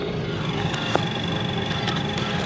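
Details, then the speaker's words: BMW E36 Coupe, restored, while driving: thin steady high whine over engine and road noise; owner says the gearbox is whining. "the gearbox is whining, as you can hear, my gas pedal is not there, I only press one button"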